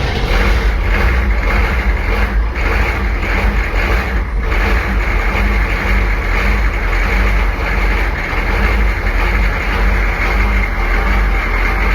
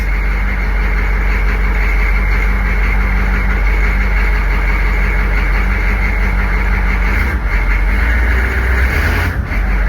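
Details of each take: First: Military Humvee diesel, abandoned 13 years, first start after glow plugs: deep even rumble at steady idle, no misses or knocks; engine running normally. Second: Military Humvee diesel first started after sitting 13 years, still cold: heavy uneven clatter settling to low steady idle with white smoke; owner guesses injectors, unconfirmed.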